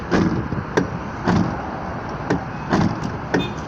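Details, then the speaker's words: Toyota frameless-door window regulator: half a dozen dull, uneven clunks in four seconds as the glass shifts and lowers; worn plastic guide bushings let the glass knock, temporarily fixed with a clamp. "и вот сам стук вот здесь появляется износа как бы пластмассовых уплотнителей которой она сама спине плавай получили вот такой вот примерно я опущу"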